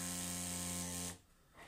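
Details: Feiyutech G6 Plus gimbal after balancing all three axes and an automatic motor strength setting attempt. Harsh, steady electric buzz that then cuts out as the motors vibrate furiously; the cause is unresolved.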